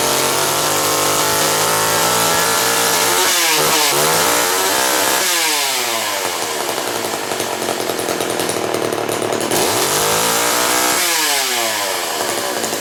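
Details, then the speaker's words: STIHL 015L chainsaw with 1/4 inch pitch chain, started on choke: small two-stroke idles cleanly, then revs up and down smoothly several times with no stumble; runs pretty good, normal running. "And that one runs pretty good. So that's my collection of saws, but the guy in the middle I don't really use much anymore."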